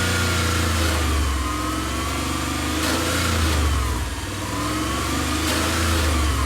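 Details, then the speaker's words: Reinstalled Subaru EJ22 revved up and down: tinny metallic rattle at higher revs, actually a loose exhaust heat shield wedged against its bolts, not the engine. "so it's actually nothing to do with up here the noise is coming from the heat shield thank god"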